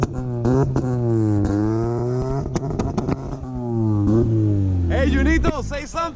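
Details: Honda Civic EF first start-up: engine held hard at one fixed speed on the two-step launch limiter with a sharp crackle of pops over the drone; limiter working as it should.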